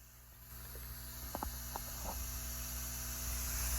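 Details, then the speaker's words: New fish room air pump running on a flat aluminum surface with no air lines attached: low steady hum and airy hiss, no rattle, much quieter than old cheap pump. "Wow, what a difference. All right, this thing is just sitting on top of a flat surface, a piece of aluminum, so there should be even more vibration."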